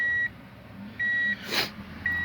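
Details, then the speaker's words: Tommy Kaira M25TW being converted from automatic to manual: bridging the green reverse wire on the gear-selector plug lights reverse, and a clear high beep repeats roughly once a second. The reverse beeper is working again. "so just close these two you can hear the calls beeping there yeah reverse is illuminated"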